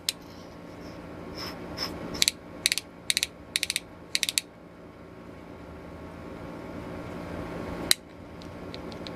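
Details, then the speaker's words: Restored 1890s T-handle ratchet brace after pawl spring reinstalled for tension: crisp evenly spaced clicks in short runs as handle swings, each tooth catching cleanly; pawl engaging properly, normal ratcheting. "So when the thing is ratcheting, it's going to do that clicking noise."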